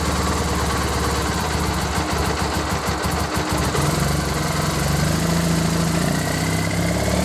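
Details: Triumph Bonneville twin after replacing failed regulator that stopped battery charging: steady, even idle with a clean exhaust beat and no odd noises; runs healthy.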